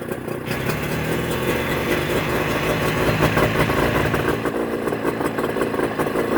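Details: Mercury 25HP two-stroke outboard in neutral after Boyesen power reeds installed: settled, even burbling idle with no stumbling or hunting, running cleanly while idle is being adjusted.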